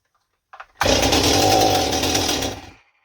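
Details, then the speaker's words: Stihl 028 Super chainsaw that starts but won't run after impulse line replacement: catches and runs rough and blubbery for about two seconds, then dies; carburetor mixture far too rich, idle being turned up. "Yeah, she's very, very rich. I'm going to turn the idle up more too, because that will help me."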